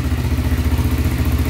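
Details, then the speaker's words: 1995 Honda 300EX after rebuild fixing smoking and low compression from tight intake valves, first run: even single-cylinder idle with no tapping, smoke clearing as oil burns off. "that sounds pretty good no tapping noise at all man it's running great so far no smoke"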